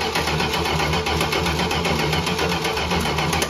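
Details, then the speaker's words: 1968 Dodge Charger parked since 1994: steady fast cranking that never catches; the engine spins freely but has no spark, crank no start. "we thought it had spark but we were mistaken"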